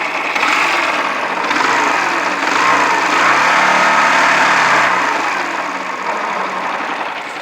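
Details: Yamaha YBR125, about 50,000 km, long run on very low oil: steady metallic knocking about three per second over thin idle, swelling with revs; suspected worn crank bearings and housings, worn piston, possibly timing chain.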